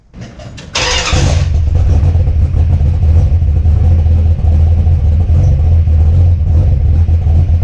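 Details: Mopar Ramcharger just after ignition upgrade, brake booster disconnected and plugged, carburetor unadjusted: catches after short crank into loud, lumpy uneven idle; owner thinks it needs more timing.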